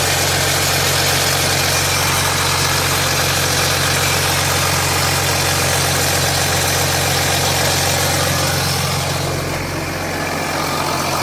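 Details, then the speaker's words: 2007 Jeep Grand Cherokee 3.0 CRD diesel at cold-start idle: hard metallic clatter that never settles. Oil pressure light is on at idle and goes off when revved, with oil level correct. Owner suspects the timing chain, though the noise is not localised at the front; unconfirmed. "For me, that sounds like it could be timing chain issues. And it's just echoing through the engine."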